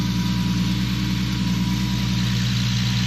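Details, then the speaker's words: Infiniti G37 with VQ37 V6, idling after new knock sensors and sub harness: smooth, even low idle with a steady exhaust burble, no knocks or misses; owner notes some belt squeals but says everything seems to work okay. Normal idle. "ignore some of the belt squeals but yeah everything seems like it's working okay"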